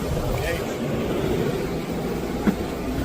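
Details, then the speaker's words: Truck camper RV roof air conditioner on battery/inverter, set to cool on high, drawing about 41 A, cabin 80°F; steady loud whoosh of fan and compressor, no rattles or squeals — normal operation. "she's noisy so we're drawn about 41 in okay"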